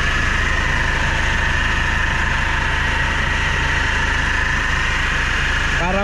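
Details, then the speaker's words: Hyundai Grand Starex diesel at idle: constant high whine with gritty rasp, like grinding or a failing bearing mixed with a dry power-steering pump; timing chain initially suspected, worn idler pulley bearing. "yung narinig niyo mga boss parang ah kumakayod or bearing na sira na naghalong power steering ang tunog na walang laman"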